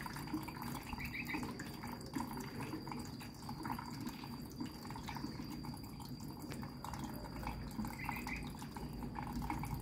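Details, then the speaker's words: Samsung washer (customer complaint: runs briefly then stops; title error 3C) during repair test: second inlet valve now running, steady trickle and splash of water into the drum; normal fill, after which filling stops and the LED keeps blinking. "van cấp nước bên cạnh cũng đã chạy rồi này van cấp nước bên này cũng đã chạy rồi"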